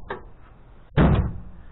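One solid low thunk as the tailgate slams and the latch catches cleanly, with no rattle or bounce back.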